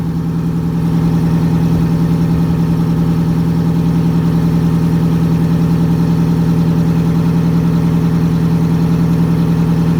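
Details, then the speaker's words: MCI MC8 diesel bus, sat about two years, now started without the charger; shutoff solenoid not working: deep even diesel idle about three and a half pulses a second, no misses; healthy normal idle. "tell you there is a load of stress off my shoulders thing sounds amazing we're gonna make it back to tennessee with that no problem"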